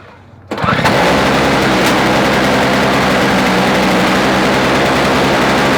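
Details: Toro 17-inch two-stroke snow thrower fitted with a swapped engine from an old Snapper, first pull start after reassembly and priming: catches and settles into a steady, buzzy high-pitched drone with no misses. Normal running.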